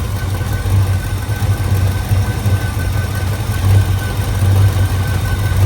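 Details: Old box Chevy 350 small-block with an Edelbrock carburetor and a new mechanical fuel pump, fuel filter not filling: an uneven, lumpy idle that wanders and stumbles, with sputtering and backfires. Fuel starvation making it run lean.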